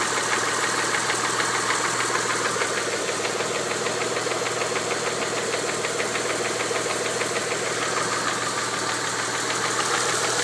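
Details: 1992 Mitsubishi 3000GT VR4 at warm idle after 8-9 minutes, after fuel filter and oil change: sharp, even tapping about three times a second, with black smoke; timing belt slightly loose, knock seems near cylinder 6 by the oil filler cap, cause unconfirmed.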